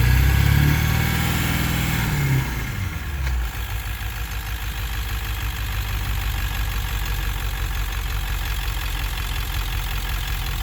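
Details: 1999 Ford F250 7.3L diesel with ZF6 manual, shifter removed; unknown driveline noise only in gear under load, not in neutral, same in 2WD, 4WD or 4x4 low; revs fall from hard pull to low rumble with uneven knock about three per second.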